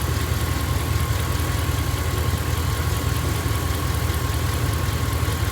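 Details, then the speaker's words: 1999 Dodge Dakota R/T, 5.9 L Magnum V8: light, regular tapping of a couple of beats per second on the idle, only when not under load, absent under load; cause unconfirmed. "so it only does it when the engine's not under load like you can hear right [Music] there when it's under when it's under load it doesn't do it"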